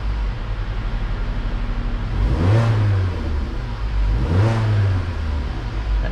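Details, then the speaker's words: Vauxhall Insignia after temperature sensor fault repair, gauge reading 50 degrees cold: engine catches and settles, then two clean throttle blips rise and fall smoothly with no bogging; normal start and revving. "sounds a lot better as well a lot more healthier no bogging on the button"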